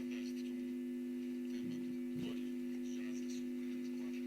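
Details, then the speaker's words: Telefunken Jubilate tube radio on FM at first power-up, with only a few critical parts replaced and no recap yet, tone on max; loud steady mains hum over a very faint but clear station from failed filter capacitors. "but it's picking up something very very faintly but it's it's actually clear but very faint lots of harm obviously so the filter capacitors need changing"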